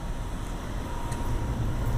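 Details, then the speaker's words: Large rooftop A/C unit (possibly 60-ton) serving a main lobby that kept tripping its breaker because a panel was loose; steady low airy condenser fan rumble with no compressor hum yet, as the compressor has a five-minute start delay. "the fan I don't hear the compressor started up yet this one's not that critical but it does have a five-minute delay on it"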